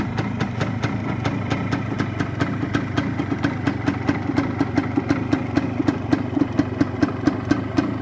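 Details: Original Suzuki TS 125 two-stroke, all-original parts, electrics working: crisp, evenly spaced popping, about three strong pulses a second, holding a steady idle without misses; healthy running.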